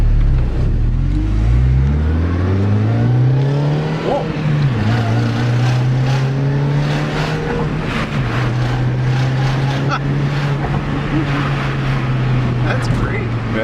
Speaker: I love supercharger whine so much better than turbo